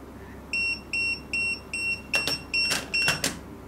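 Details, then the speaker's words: TD158 wireless pager alert after beep mode set to fastest (F4, value 3): high chirping beeps repeat about two and a half per second, with some handling knocks. "okay you can uh you can feel you can feel the buing mood uh is in the fastest speed"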